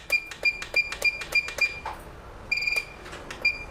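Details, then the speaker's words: Quick 2008 D+ hot air rework station: after setting channel 3 to air flow 80 and 380 °C, holding the channel button gives rapid short high beeps, then a longer tone confirming the channel is saved. "press the channel and release it press until it beeps when you hear the beep it's ready"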